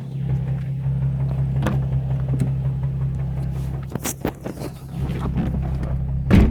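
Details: Nissan 350Z petrol V6 at idle: deep steady drone broken by a few dull knocks; engine knock, owner plans a performance rebuild.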